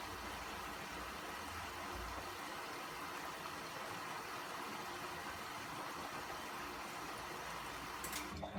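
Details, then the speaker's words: 2015 Bosch Classixx 6 Varioperfect WAE24167UK/47, test quick wash after repairing motor that wouldn't turn (spin-light error): quiet steady hiss of water into drum, no motor noise yet; normal fill. "i hope it will any time now that water should stop it's taking on quite a bit of water"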